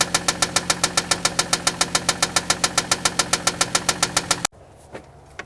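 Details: Toyota Land Cruiser engine running during tests before opening it up, oil drained and inspected with nothing conclusive; sharp even knock about 3.5 per second; engine knock.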